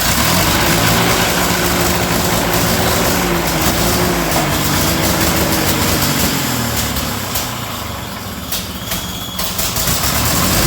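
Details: Ferguson TEA20/85 tractor engine, ill-running, just after valve adjustment: rough uneven running with sharp puffing chuffs about three per second; massive exhaust leak on one side, manifold gasket suspected, manifold to be removed.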